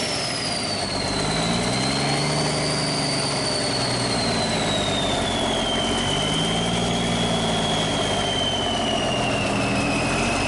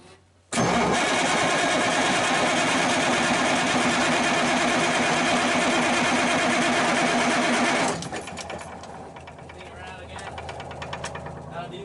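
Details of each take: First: Cummins 350 Big Cam diesel in a Kenworth, first start in years after fuel priming: a steady low idle with a faint wandering high whistle. Normal, healthy idle. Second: Circa 1991–92 Kenworth truck with Cummins 350 Big Cam diesel, not run in years, first start attempt: about seven seconds of steady, even starter cranking with no catch; cranks but won't fire, fuel supply suspected, pump priming next.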